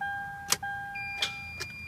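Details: 2010 Toyota Sequoia 5.7 V8 with battery charger on boost: door chime over a few sharp single clicks, engine never cranks; starter suspected bad, not yet confirmed.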